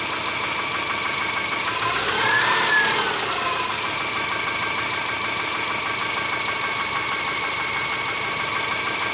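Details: Subaru Forester SG5 with EJ25 engine at idle: fast, fairly even tapping over engine noise, about three per second; internal engine knock, cause not yet found.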